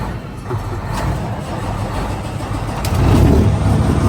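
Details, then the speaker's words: Semi truck diesel at idle: loose uneven ticking rattle down low that stops when the clutch is pushed, growing louder near the end; driver suspects the clutch brake is going out. "Hear that tickling down there. And it stops if you push the clutch, so I think the clutch brake's going out. You can really kind of hear that rattling over here."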